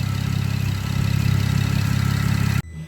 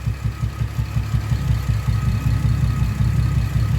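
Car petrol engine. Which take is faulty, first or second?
second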